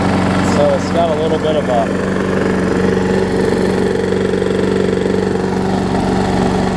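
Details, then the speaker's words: Brand-new Murray big wheel mower, possibly transport-damaged, burned oil inside, after base plate swap: idles with a light uneven tapping about three per second despite plenty of oil; owner suspects bent shaft or the impacted engine bolts. Engine knock at idle. "so you hear it's got a little bit of an uneasiness to it. It does have plenty of oil in it."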